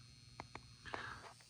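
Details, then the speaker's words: Heathkit Marauder HX-10 tube transmitter keyed on CW, about 50 W out, single 6146 final, mains raised to about 123 V: low steady power transformer hum under load with a few clicks. "and you can hear the power transformer huming away there when you have strain on the uh HB so about 50 Watts on uh 80 m 40 doesn't work at all"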